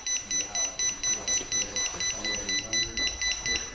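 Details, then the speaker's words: Pride Jazzy Air 2 power wheelchair, seat lift raised: rapid high-pitched beeping about four a second, the level alarm; most often the chair isn't on level ground, otherwise a front-caster tilt sensor is stuck; beeping may come with brief slowdown. "so if you hear that sound while your seat lift is up it can mean one of two things the most common reason for that is your chair is not on level ground and you need to get your chair on level ground then the beeping should go away"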